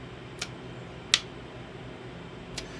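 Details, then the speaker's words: Cub Cadet LTX1045 riding mower starter solenoid bench-tested with a jumper pack: three sharp clean clicks as it pulls in, reading about 12.7–12.8 V output; good solenoid, problem likely bad connections. "You can hear it clicking. That's basically lifting up the magnet inside to the plate to connect these two."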